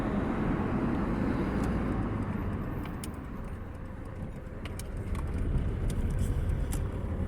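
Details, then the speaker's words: 2007 Toyota Hilux 2KD diesel driving after fixing a whistle and squeal from the intake area that appeared near 2000 rpm when accelerating: even low drone with tyre and road noise, whistle completely gone; engine healthy and more responsive. "como podemos apreciar el ruido que estaba filmando se ha ido por completo"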